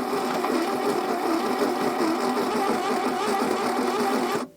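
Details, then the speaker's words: 1982 Plymouth TC3, unrun for 32 years and previously seized, cranking with the spark plugs out and oil still coming from the plug holes: a steady, whirring crank with a rhythmic wobble in pitch and no firing. The rough noises are gradually improving. "the noises are starting to get a little better as time went on"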